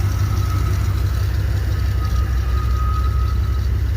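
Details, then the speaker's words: Chevy K1500 throttle-body-injected 350 V8, AutoZone reman with 6,000 miles, sat almost a year, noise present for years: steady idle with a thin high squeal coming and going, seemingly from the engine front; cause not confirmed. "it sounds like it's coming from the front side of the engine"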